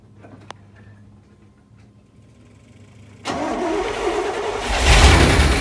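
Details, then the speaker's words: 1979 Corvette C3, L82 V8, 4-speed manual, sat 20 years, first start on starting fluid and 20-year-old gas, transmission fluid in cylinders: sudden catch then ragged, uneven running with unsteady revs and heavy smoke; carburetor rebuild expected to fix idle. "There it is. All this soot and just smoke back here. That's all the transmission fluid that was in the cylinders."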